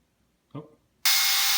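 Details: 38mm Apple Watch Sport: after a light tap, a harsh steady static buzzing blares instead of the normal alarm tone; water damage first suspected, fixed by restarting the watch.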